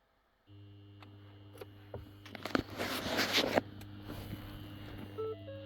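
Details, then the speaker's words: Ford Focus ST with AEM V3 water-methanol kit, ignition on: steady low electrical buzz from the controller, light flashing, warning there is no or hardly any fluid in the tank; system armed. "I'm going to switch this on right now. I got the ignition on. Hear that? It's going to buzz. Okay. Right now it's flashing because it's telling me that there's no fluid or hardly any fluid in the tank."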